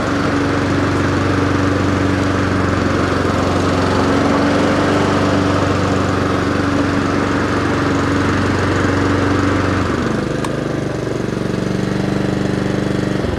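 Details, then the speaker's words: Honda HRR216 lawnmower after winter-storage startup service, hot restart: steady even engine drone at constant speed, no misses, knocks or surging; runs cleanly. "And see if it hot starts. Sounds good."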